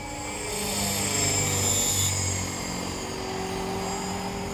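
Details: Trex 450 RC helicopter test flight after a crash, fitted with a Common-Sense RC TR450-35 3500kv 500-watt motor, 13t pinion and a smaller lipo: thin steady high squeal over the rotor whir throughout the flight; bad main bearing.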